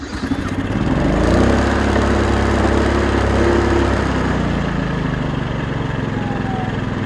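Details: Homebuilt 1000W inverter generator, recorded from about 10–15 feet away: the small single-cylinder engine settles into an even, steady idle with a smooth low hum and no knocks or misses; normal running.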